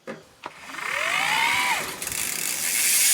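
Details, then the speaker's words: Shimano E8000 mid-drive motor on a Lapierre 627 e-bike, possibly a 2019 model, switched on in turbo: two clicks, then rising whine with loud rough hiss; noisy motor, sound gets worse as it warms up. "and when this when this motor gets a little bit War warmer that sound gets worse"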